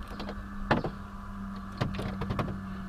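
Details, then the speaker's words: Crisp, solid lock clunks in quick bursts over a faint hum as the 1992 Mercedes-Benz 300CE W124 coupe's central locking works both doors and the trunk; actuators operate normally. "can see it works on both sides and if you hear that other click you can hear the trunk so those are working good"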